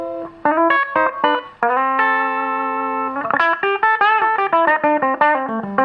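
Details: Probably mid-1960s Dallas Scala single-ended guitar amp after repair: clean, sustained guitar notes with the horrible break-up tone gone. White background noise remains because the volume controls sit before the first preamp stage; normal clean amp tone.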